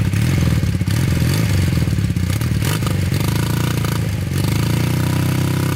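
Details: Honda trike with swapped CM400 automatic twin, long stored, rusty tank, fuel filter added: uneven revving that sags and stumbles with rattly clatter, boggy in gear; carbs leaking gas, owner suspects carb clean needed.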